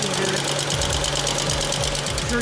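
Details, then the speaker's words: Auction car that sat a long time (smoking, old tags), running on its own: rapid, loud, light top-end ticking at idle; the model is known to be noisy, and the owner hopes it quiets with running. "I'm a little concerned about that but I know that these have a tendency to make a noise that noise might be a little bit more I'm happy with"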